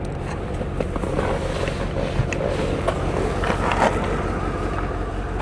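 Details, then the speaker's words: C4 Corvette V8, warm after a 5-mile drive, idles with a lumpy uneven rumble: a solid dead misfire that occurs only at idle and clears when accelerating. "She got a solid miss to her, but it only seems to do it at an idle."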